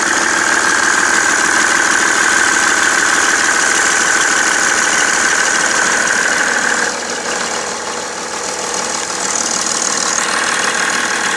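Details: BMW 330d E91 diesel at idle after main and EGR thermostat replacement, also smoking: a regular knock about three times a second over the diesel clatter. The cause is unknown.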